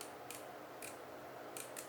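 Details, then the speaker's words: Samyang/Rokinon 12mm f/2.0 lens aperture ring: four crisp light clicks spaced unevenly as it steps through detents, half stops up to f/16 then a full stop to f/22; normal clicked aperture. "so so yes have stops up to f-16 and after 16 to 2 F 22 is one full stop"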